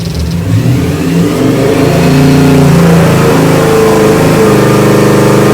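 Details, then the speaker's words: Ford 347 stroker crate engine (450 edition) for a 1966 GT350, Holley carb with manual choke, run demo: strong V8 revs with a whine rising and falling with rpm from deliberately fitted noisy gears, supercharger-like; normal, runs great. "This one, you chose to put the noisy gears on it to make it sound like a supercharger."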